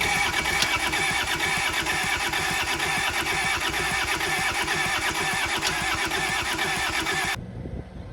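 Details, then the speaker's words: Kubota L285 4-cylinder diesel tractor, sat outside 8+ years, cranking on ether with fuel now reaching injectors: steady chug about two beats a second that never catches; no-start from air still trapped in the fuel system, check valves to be cleaned. "So I got fuel up to the injectors finally, but I'm still drudging some air, and then clean them up and put them back, and then we'll see where we're at."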